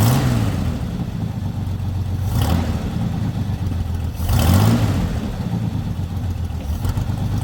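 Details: Lowrider V8 after the dipstick oil leak repair, now no longer leaking from the dipstick: steady, even idle with a deep, low burble and only brief blips, nothing rough or misfiring. It reaches idle faster than before. Normal idle.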